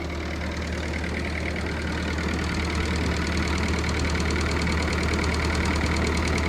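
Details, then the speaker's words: Old Ford 9N tractor after repair, idling: the generator is charging the battery; steady, even putter with no miss or knock, running really well. "like I said we'll let run for a little while here but man that is that is running really well"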